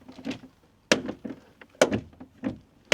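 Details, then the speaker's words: 2015 Volvo V60 door: sharp clicks and clunks with each door open and close, from the door check strap held by a single bolt that can loosen; make sure it is fully tightened. "But usually, if you hear that clicking whenever you open or close your door, usually coming from the check strap."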